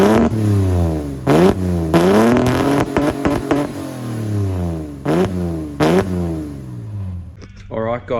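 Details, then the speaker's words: Ford AU Falcon drift car, warm, with newly installed exhaust, driven: sharp revs climb and drop in bursts, note going ragged and choppy near the top; misfire breaking up under hard throttle, owner suspects ignition coils. "you can probably hear in the video it's still breaking up under hard throttle so definitely got to fix the uh the coils or whatever it's whatever's carrying on"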